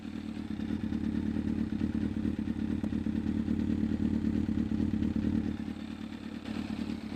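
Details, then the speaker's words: Yamaha FZS600 Fazer inline four, heard from the rear at idle: smooth, even low exhaust burble with a steady beat, no misses or knocks; normal healthy idle. "So it runs nice. It runs quite smooth. Listen from the back."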